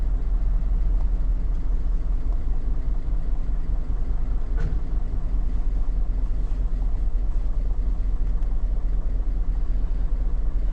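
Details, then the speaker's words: 2009 Hummer H2 V8 at idle with a misfire code and possibly not charging: a deep, uneven rumble with a dead miss badly upsetting the beat, which live data traces to cylinder 3. "Alright, so we got a dead miss in cylinder number 3."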